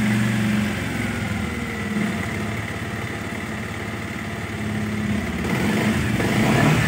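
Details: Bajaj Pulsar 125 BS6 single-cylinder idle with loping beat near 3.5 per second that sags and recovers; RPM fluctuates and bike stalls while riding; scanner connected, blocked fuel lines and water in fuel suspected; cause unconfirmed.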